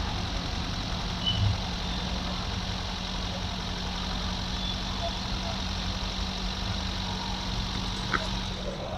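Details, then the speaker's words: 2011 Toyota Etios Liva petrol engine, well maintained, at idle: quiet, even hum with a steady low tone and no knocks or rattles, a smooth, healthy idle. "ಕೇಳಿಸಿಕೊಂಡ್ರಾ sound ತುಂಬಾ smooth ಆಗಿದೆ petrol engine well maintain ಮಾಡಿದ್ದಾರೆ"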